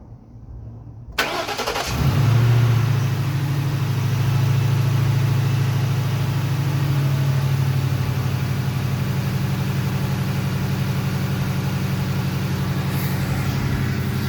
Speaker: So that's good. I didn't hear any noises, did you?